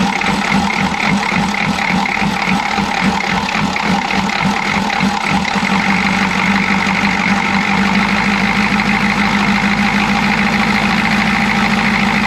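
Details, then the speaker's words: Chevy G20 van with 6.2L diesel and a grease-caked intake manifold, uneven lumpy idle with an irregular stumbling beat over the clatter; misfire, owner suspects a timing problem. "it's kind of not backfiring but it's missing it's there's a there's a timing problem and you can hear it you can feel it"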